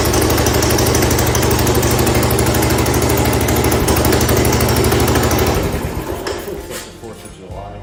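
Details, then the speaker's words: 1970 Cub Cadet 127 garden tractor single-cylinder engine after head gasket replacement runs with an even, steady beat around three a second, no misses or knocks, then shuts down cleanly; runs pretty good, normal running. "Ran pretty good. So I'm gonna go on ahead and say that we should be all right with that."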